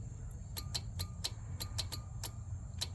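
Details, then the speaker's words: Husqvarna 46 mower, burned and melted fuse holder: moving it slightly causes sharp, dry intermittent clicking about twice a second over a low hum as the bad connection makes and breaks contact; owner unsure if heat or the bad connection came first; planned fix is a new holder. "just slightly moving this thing around. it uh causes clicking and everything else."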